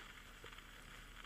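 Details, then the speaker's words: EverReady N3 valve radio under restoration: only faint, irregular crackle and soft hiss from the speaker, no station received when tuning; amplifier stage appears alive, fault in reception not yet found. "however when I tune the radio or at least I tried to tune it um I don't seem to be getting any radio station only that same faint crackling"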